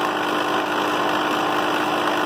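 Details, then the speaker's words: Vintage 8mm projector: the motor sounds fine, but the drive makes a constant harsh grinding rattle that changes when held; owner suspects the take-up reel weight, unconfirmed. Rough grinding drive noise. "that is pretty horrible and if I hold it it starts so I'm thinking the weight of a take up real light posters"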